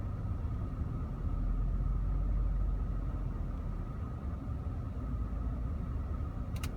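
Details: Audi S5 supercharged V6 at a stop light: rough, lumpy idle with rpm dropping then spiking, pointing to a misfire.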